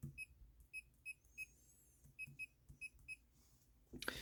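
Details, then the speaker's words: Bluetooth laser projection keyboard during a typing test: nine crisp high beeps in four seconds, one per key press, ending in a louder knock. The feedback beeper is working as intended. "but I actually suggest you to use at least the lowest because you actually need the feedback to be able to to to to make sure that you you know that you're pressing each key"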